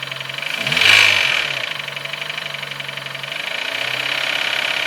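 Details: Nissan Note HR15DE: a sharp metallic ticking rings over the idle, a few per second, louder on a brief rev. It appeared after cleaning the injectors and intake with carb cleaner, is sharper cold and softer warm, and the swirl flap was ruled out. Cause unknown.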